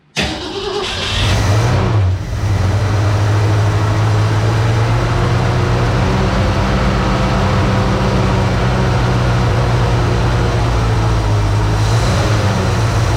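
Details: 1966 Ford Mustang 2+2 fastback with 82,000 miles, sitting for years, started after replacing a leaky fuel pump. It cranked, then caught with rough, slightly uneven running that smooths out and "starting to sound better."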